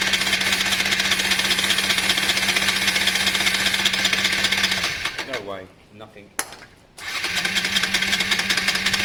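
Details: Honda Varadero 125 first start attempt after sealing an intake air leak: starter whirs steadily, engine turns over without catching, then stops; cranks but won't fire, plugs then checked for spark, gap found very wide.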